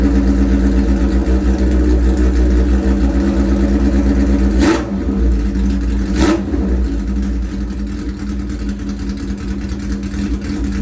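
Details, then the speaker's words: Harley-Davidson Shovelhead chopper cold start on choke with gas on: big twin lopes at a steady idle, firing evenly with no knocks or misses; starts and sounds good. Carb bowls overflow if gas left on. "Well, does that surprise me? A little bit. It freaking sounds good and it starts good."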